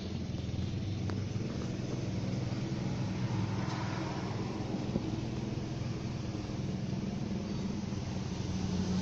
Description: 2004 ford territory AWD front left knocking sound and problem.